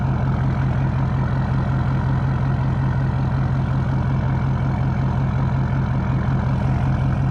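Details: 2012 Ford F550 6.7L Powerstroke diesel at idle, recorded 16 inches from the exhaust tips during a resonator-install comparison: deep, even rumble with regular pulses and no knocks or rattles; the exhaust note sounds healthy.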